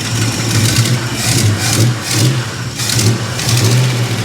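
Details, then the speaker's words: 1973 Plymouth Scamp, cold start, likely flooded, 70 psi oil pressure: rough lumpy idle rising into quick revs and dropping back cleanly, no knock or ticking; engine sounds healthy. "it sounds good oh yeah give her a quick rev let you guys hear this"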